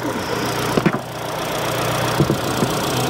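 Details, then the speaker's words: 2022 Kia Sorento petrol engine idling smoothly and evenly after clearing a stored cylinder-two misfire code, with a few clicks from handling nearby; normal idle. "I hadn't cleared the code I cleared the code the thing runs fine"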